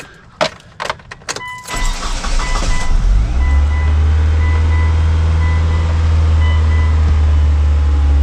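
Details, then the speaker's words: 2002 Mitsubishi Lancer OZ Rally, first test fire after valve cover gasket replacement, cold with check engine light on: brief cranking, then catches into a steady, even idle sitting a bit fast; normal cold start high idle that will come down. "got a little bit of a high idle, it's cold. She'll come back down."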